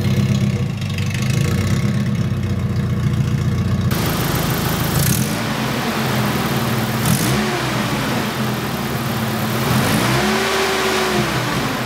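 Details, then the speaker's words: Nissan 240SX, engine running and revving: loud, constant jet-engine-like rushing roar over the engine that swells with each rev; engine fan clutch has failed, fan or clutch needs replacing. "so as you guys can probably tell from the sound there it sounds like a jet engine and that is basically coming from this guy right here basically the clutch in this is gone these these fans have clutches so I need to either replace the whole fan or just replace the clutch"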